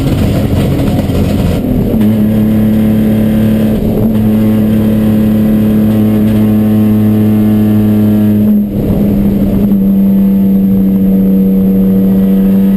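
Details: Chumpcar race car on track at Watkins Glen, where the misfire began midday Saturday. The hard-revving engine holds a steady note, then briefly stumbles and drops out near the end: misfire under load, cause unknown.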